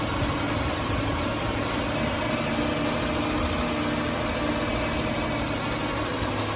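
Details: 2005 Ford Taurus petrol engine idling right after an ignition coil replacement: smooth, even idle with no misfire stumble or skipped beats; healthy and steady.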